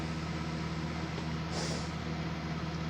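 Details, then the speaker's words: Patched Whirlpool dehumidifier built from two units, Embraco compressor, miked close: steady low hum of constant pitch with a brief soft hiss partway through, no knocking or rattling. Owner checked it and says it is not low on refrigerant; normal running. "not low in refrigerant because it doesn't make any hissing noises, and I checked it."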